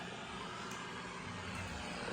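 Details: BC-348-Q receiver with its BFO centered for CW/SSB, a 5-20pF capacitor on the BFO coil: steady, even hiss across the band with no signal. The receiver works but its hiss is unexplained; more BFO injection may be needed.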